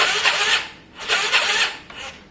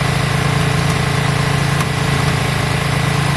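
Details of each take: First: Yamaha Virago after carb work, fuel primed, choke on: rough, labored cranking in uneven surges that never catches. The starter turns it over weakly and slowly; it sounds like a weak battery, but the owner suspects the starter clutch. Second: Yamaha Virago V-twin after carb work, just started with choke on: a steady, even low thrum at a slightly fast choke idle, with no knocks or misses. It doesn't sound too bad; runs smoothly.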